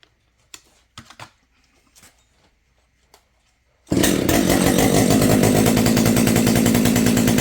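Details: Husqvarna 572XP chainsaw rebuilt from salvaged parts, with new anti-vibe and pull start and a muffler mod, first start: a few quiet clicks, then it fires and settles into a strong steady two-stroke idle; runs healthy.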